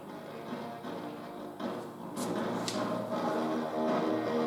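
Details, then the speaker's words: 1960s/early-70s Saba Wildbad 100 tube radio on first power-up through a lamp: the lamp brightens as the tubes conduct, showing the rectifier works. Faint audio swells louder as the valves warm; the radio comes back to life. "now the lamp gets brighter again tells me the tubes are conducting and drawing current so the rectifier is working"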